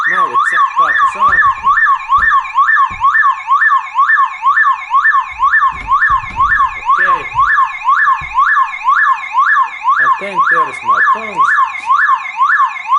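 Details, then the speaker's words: Car alarm siren keeps a loud rising-and-falling wail about twice a second after its wires are cut with tongs, powered by its internal backup battery, so the siren must be removed. "then I need to move that horn away because it makes sound quite long time because there is battery in inside the system"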